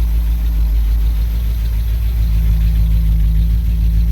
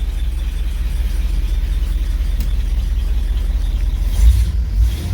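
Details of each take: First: 1964 Cadillac DeVille convertible V8, fitted with an Edelbrock carburetor and not yet tuned, recorded from the rear: deep, steady idle with an even low rumble under a loud fan whir, no misses or knocks; normal idle. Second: 1964 Cadillac DeVille convertible V8 at idle after correcting wiring for Pertronix electronic ignition (resistor wire had been left connected): much quieter and no surging but still running rough; a possible ticker, and a suspected exhaust leak on one side.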